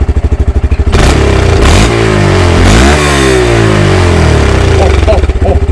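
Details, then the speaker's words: Honda Grom single after the throttle position sensor fault was fixed: even, very stable idle pulse, a quick rev that rises and settles cleanly, then back to smooth idle. "It's so stable. So stable. I've never heard it that stable in a long time."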